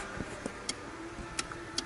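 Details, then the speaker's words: Engine off, with a faulty aftermarket alarm or radio install feeding constant power to the pink/yellow key-on ignition wire: faint, irregular sharp ticks a few per second as modules power up; the ignition switch is not the fault. "Obviously, I have a power feed that somebody supplied, okay, to the output of the ignition switch circuit, which is powering up all kinds of things when it's not supposed to."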